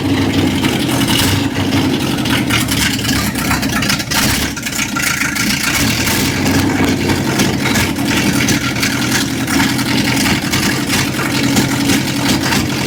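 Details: 1955 Chevrolet truck V8 with open pipes, just started after cranking attempts: loping uneven idle, beat stumbling and surging; runs on about six cylinders, misfire on a couple of cylinders suspected, cause unconfirmed.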